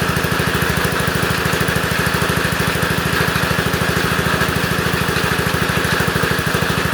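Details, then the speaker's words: Lawn tractor single-cylinder at fast idle after a cold start. A constant papery rub runs under the beat because the broken cooling fan spins against the plastic shroud, giving a plastic smell. Cooling fan rubbing on shroud. "I just hate why it did it I don't know why it did it just broke so the engine spins on it so it's rubbing onto the plastic and it makes a plastic smell"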